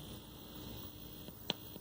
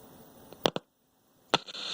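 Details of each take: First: 1970s General Electric colour TV CYA7342, probing the audio IC. On pin 7 (bypass) a steady mains buzz with sharp probe clicks comes through the speaker, showing the stage passes audio, while pin 12 audio out gives nothing. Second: 1970s General Electric colour TV, model CYA7342, with volume cranked. Touching the test point before the IF detector IC brings up a faint steady static hiss that then cuts off, showing the sound IF transformer is faulty.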